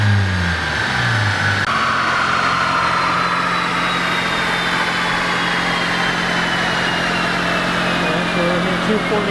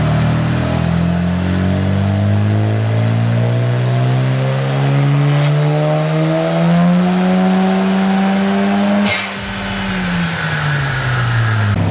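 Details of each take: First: Mazda FD RX-7 rotary on the dyno, full-throttle pull: smooth rising wail, pitch climbing evenly with no flare or stumble. Clutch holding fine; the suspected problem was just the pedal. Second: Mazda FD RX-7 on a dyno tune: engine note climbs under load, wavers, then drops away as power builds, clutch slipping. Clutch possibly stock or worn, not grabbing fully, adjustment to be checked; cause suspected, not confirmed.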